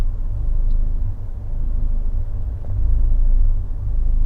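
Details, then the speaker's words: Fiat 124 Spider 1.4L MultiAir turbo, after swapping cylinder 3 and 4 coil packs: low idle rumble surging and sagging unevenly with occasional stumble, load swinging 23–40; rough idle, cause unknown. "freaking Idol sounds like the world's about to explode okay so that's weird very audibly I hear it you guys could probably see it there's no misfire but it sounds and feels like complete [ __ ]"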